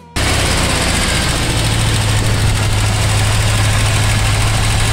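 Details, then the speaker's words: 1973 Ford F100 V8, carburetted, first start-up after project work, cold, idling high as expected while warming. Deep, steady V8 rumble at raised even idle with no knocks or misses: normal cold fast idle. "this is what excitement and success and hard work sounds like"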